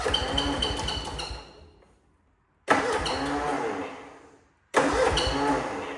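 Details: Cub Cadet Cyclops with a twin-cylinder Kohler 18, smoking, fresh 10W40 oil, cold start: three attempts, each sputtering about two seconds before dying; not firing on both cylinders, blown head gasket suspected, owner also suspects muffler, coil or plug.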